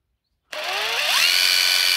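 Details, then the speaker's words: Hilti SID 4-A22 cordless impact driver after teardown and motor cleaning with contact cleaner, previously losing power and noisy: smooth motor whine rises in pitch and holds steady with no rattle or grind; running properly after repair. "Right, that's that back together, so I'm going to put a battery on and try it. Yeah. That sounded a lot smoother."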